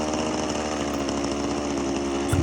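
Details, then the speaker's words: Power PRO24 24cc two-stroke petrol hedge trimmer at full trigger, revs surging intermittently then bogging and cutting out; cause a faulty carburettor, later replaced. "the problem is when you press the trigger and hold it down fully get this intermittent um revving as you can hear there"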